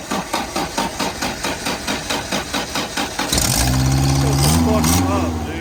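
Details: Old abandoned manual-transmission truck found in a garage, start attempt after waiting for the battery to charge; even cranking at about 136 beats a minute for three seconds, then it catches and runs. Normal engine start.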